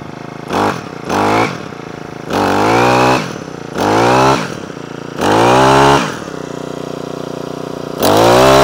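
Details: Honda HHH25 trimmer after a carburettor clean, started on choke, which previously cut out at full revs: revs rise in repeated bursts to full and drop back to idle without cutting out. It looks oily, and the oil is possibly overfilled.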